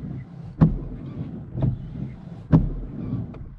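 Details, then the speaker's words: Car windscreen wipers on a dry screen after coconut oil on the blades and polish on the glass, which had shuddered and squeaked before: low steady hum, soft thump at each end of sweep, no chatter or squeal; smooth wiper operation. "see that so all that shuttering is gone and they just operate a lot smoother now"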